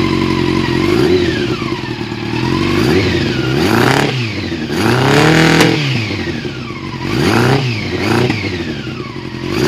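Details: Yamaha R6: uneven, stumbling revs that rise and sag without a clean pull, with some clatter; engine misfire.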